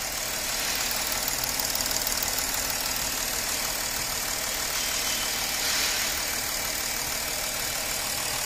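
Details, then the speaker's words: Porsche Cayenne 3.0L TDI diesel after the three injectors on one side were serviced for misfiring, knocking and vibration: now idles steadily with a smooth, even hiss, no knocking or uneven shake; injector return flow restored. "जो अपना इसमें क्या था vibration था knocking का वो है नहीं आप लोग मैं साइलेंट हो जाता हूं और आप लोग सुनिए"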